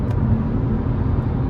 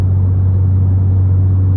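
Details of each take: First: BMW M car in the cabin at highway cruise after a plug-and-play ASD (active sound design) bypass install: only even road and wind noise, with no booming exhaust drone. The bypass removes the drone. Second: BMW M car in the cabin at constant highway speed, before-and-after comparison: with ASD (active sound design) on, a heavy steady drone fills the cabin, then drops away sharply with it bypassed. The drone is fake noise pumped through the speakers.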